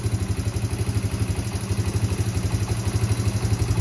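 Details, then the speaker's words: Yamaha Breeze 125 quad, fairings off, after repairing a frayed, broken throttle cable that had kept idle stuck high: an even, steady idle pulsing about four times a second at normal low speed, then shut off; healthy idle. "Écoutez-moi cette douce mélodie, les amis. Putain, c'est magnifique."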